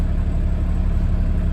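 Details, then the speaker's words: Mid-1990s GMC TopKick truck, mostly loaded with manure, just blew its engine, smoking white and black: rough, lumpy low idle with an uneven beat, several cylinders not firing; seems to be running on about four cylinders. "this will be uh quite a challenge it sounds like he's only running on about four cylinders so we shall see"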